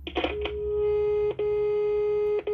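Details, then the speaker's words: HDL intercom/door-station central after its power supply was repaired; dial tone checked by touching a speakerphone's lead to the extension terminals. A steady mid-pitched tone drops out only as the leads touch, so the extension works normally. "Agora se eu encostar aqui tem que ter tom. Beleza. Funcionando."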